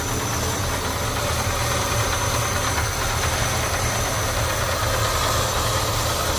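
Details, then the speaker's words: 1975 Ford F150 Super Cab big-block V8, 59,000 original miles, rarely driven, heard from under the hood after warming: deep steady even rumble, no knocks or misses; normal idle. "Gotta love a big block Ford, huh? Sounds great."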